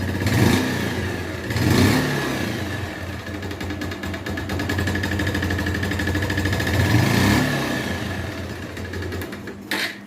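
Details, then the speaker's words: 2012 Bajaj Pulsar 150 motorcycle revving up and settling: rough metallic knock that grows with revs and load, louder in high gear or accelerating, quieter at low speed; piston knock from oil starvation. "यह sound जो आपने सुना है इस type से आवाज ए रहा है और जब भी बाइक ज्यादा थोड़ी बहुत लोड लेती है जैसे की भारी गैर के अंदर हो या हम थोड़ी भागने की कोशिश करते हैं तो उतनी ज्यादा आवाज आई है"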